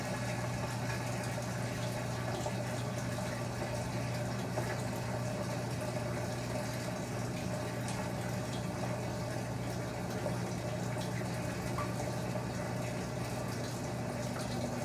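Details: Top-load agitator washing machine during its test cycle: a steady low hum with an even, unchanging wash of water noise as the drain pump empties the tub normally after the agitation step.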